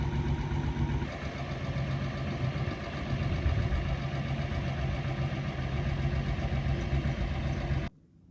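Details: After test drive on rebuilt Solex Mikuni Type R carburetors, spring refitted so throttle no longer hangs: even, steady low idle holding without hunting or stumbling until shut off; normal idle.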